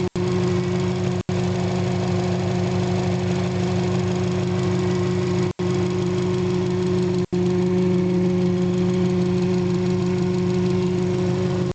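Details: 2007 Subaru WRX, warm, after TGV delete and manifold reinstall: steady high whine at idle from the intake, remains with filter off, rises when steering at a stop, subsides on light throttle taps; belt checked good; cause unknown.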